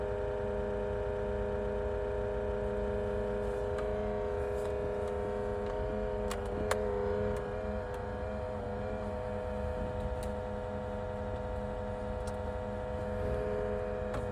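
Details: Pioneer NEX head unit, owned a couple of years, makes a loud, steady mid-pitched whine during start-up that does not follow engine speed and is getting worse.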